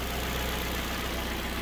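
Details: 2008 Ford Fiesta Mk6 petrol engine started after an oil change, checking for leaks (none found): even, steady idle with a smooth low hum and no knocks, ticks or hunting. Healthy.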